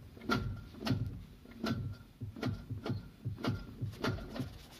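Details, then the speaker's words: Lada Priora (VAZ) gearbox/clutch check in a quiet shop: turning the wheel by hand gives light, dry rattling clicks, under two a second. Cause is broken clutch disc damper springs. "диафрагменная пружины развалились поэтому и выдает такой звук всем удачи"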